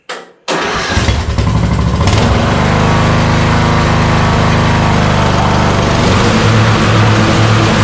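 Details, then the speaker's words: Yard Machine riding mower revived after two years sitting outdoors, with the carburetor ultrasonically cleaned a second time: engine catches after a brief crank and settles into a steady, even run with no knocks or misses; sounds healthy and ready to mow. "sounds good i believe she's ready to rock and roll a little bit more cleaning up she'll be good to go"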